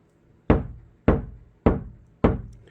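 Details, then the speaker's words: Kia Sportage NQ5 facelift bare door skin tapped at the center from the outside: four sharp knocks about 0.6 s apart, each dying quickly with only slight reflection and no lingering reverberation; untreated door panel. "어 여기서는 이제 하우링 그 잔양 음이 없죠. 그 반사가 두 번 세 번 계속 에너지가 소멸 안 되고 어 그 살아 있는 것이 잔양이라고 할 수도 있고"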